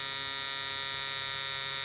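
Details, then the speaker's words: Coil tattoo machine, armature pressed down so it bogs, thin strained buzz with no crisp snap, barely cycling; incorrect sound, machine sunk and almost not running. "Machine इस तरह नहीं लग सकती है, यह डूब गई है, इसे दबाया गया है, यह लगभग कुछ भी नहीं चल रहा है"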